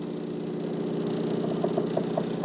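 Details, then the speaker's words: De'Longhi TrueBrew CAM51025MB brewing an espresso: steady pump drone with faint squeaky chirps every few tenths of a second as pressure builds, normal espresso brewing. "but what you hear with the espresso you hear kind of a pressure build up it's hard to explain but it's definitely building up some pressure and then Brewing the water through it"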